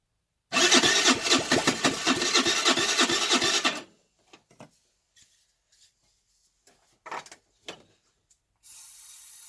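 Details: 2008 Baotian Tanco 50cc four-stroke scooter with fresh gas: about three seconds of rasping starter cranking then faint clicks, never catches; flooding, plug keeps wetting, owner guesses fouled carburetor.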